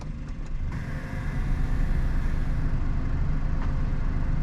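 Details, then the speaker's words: 2021 Suzuki Alto VXR/VXL 660cc at idle: steady low idle with an even whoosh from the radiator cooling fan on top and no knocks or ticks. The fan noise is judged normal, present in every car. "मैं इसी की जो पंखा है उसकी आवाज है वह नॉर्मल है हर गाड़ी में आती है"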